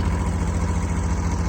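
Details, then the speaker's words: Kubota B7200 subcompact diesel tractor, cold start at 15°F after glow plug cycles, slightly smoky: lumpy, uneven idle as if one cylinder is not firing cleanly; owner suspects a glow plug, unconfirmed. "Kind of funny idle. It does that during summer sometimes too. Makes me think one of those glow plugs is acting a little weird or something."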